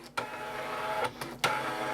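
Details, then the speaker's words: Amstrad DMP3000 dot-matrix printer self-test: carriage sweeps and paper-feed steps are clear, but there is no fast pin chatter. A print head problem is suspected, not confirmed; it later prints extremely faintly. "so I can hear paper being fed that way I can hear the pr going that way I can't hear any pins firing in the print head it's too"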